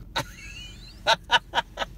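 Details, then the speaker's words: 2005 Subaru Forester, right-hand drive, driving over rough pavement: sharp rattling knocks in quick bursts from the rear; source unknown. "Ну вот то, что сзади гремит, когда вот такая дорога, блядь, как сейчас перед нами, это, блядь, явный единственный минус."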